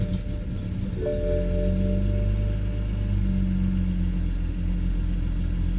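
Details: BMW N54 with index 12 injectors, Walbro low-pressure fuel pump, MHD tune, 93 octane, cold start at 58°F: about a second of ragged cranking before it catches, then a steady low idle; hard start, owner doubts it's normal, cause unknown.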